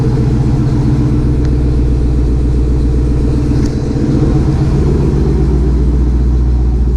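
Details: 2020 Shelby GT500 Mustang V8 with a just-installed Whipple 3.8 supercharger, idling as it warms toward operating temperature: steady, deep rumble with an even beat and no ticks, squeals or knocks. Normal, healthy idle.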